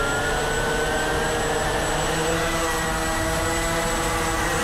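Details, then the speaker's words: Walkera QR X350 Pro quadcopter on its first flight, just after lift-off from about 30% throttle, flying fully manual: a steady, even high-pitched motor whine holding constant pitch with no wobble or surging; normal hover. "and just like that we're flying 100% manual right now and it's just hanging there"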